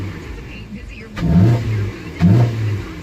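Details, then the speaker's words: 2011 Hyundai Sonata 2.4L SE with cold air intake and newly installed throttle body spacer, two throttle blips: deep throaty intake roar rising and falling cleanly, no supercharger-like whistle; normal healthy intake sound when revving. "sounds pretty badass that's the engine cold air intake making that noise"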